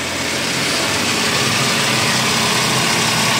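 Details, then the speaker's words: Daihatsu Terios at idle with the AC on: steady even engine hum, but no fan whoosh, because the front radiator extra fan is not spinning. The fault is suspected to be in the extra fan motor. "ini mestinya kalau posisi AC nyala kipas ekstra pan yang di bagian depan ini kipas ekstra Pan radiator mestinya muter mestinya muar tapi ini enggakama ekstraan enggak"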